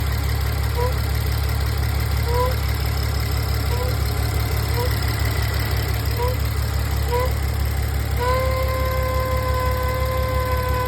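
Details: 2016 VW Touareg V6 idling with a low rumble; brief chirps give way to a steady, fairly high-pitched whine.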